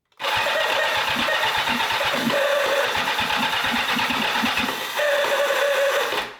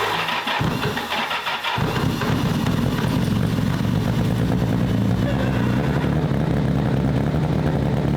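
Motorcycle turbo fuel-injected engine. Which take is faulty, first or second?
first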